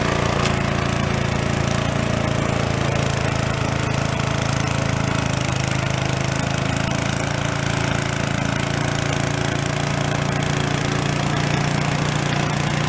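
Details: Gilson snow blower (roadside find, carb cleaned of acorns) after electric starter repair, steady even drone under working load clearing snow, no misses or stumbles; throttle creeps down from full, linkage needs tension; normal running.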